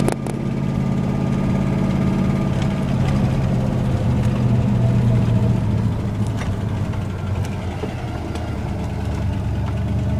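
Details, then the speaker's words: Ford Ranger with 302 5.0 V8 while driving: deep rumble with a dull, uneven rod knock about three to four beats a second, the worst it has knocked; engine dying. "the worst I've ever heard the truck knock. I'm just trying to nurse it."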